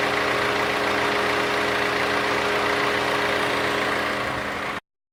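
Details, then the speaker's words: Maruti Suzuki Ciaz diesel idling with AC running: loud, steady rushing roar with an even low hum from the radiator fan, no clicks or switching sounds; normal radiator fan noise, not a fault. "that's it that was a radiator fan noise and this was a blower speed noise no additional noises made by curve"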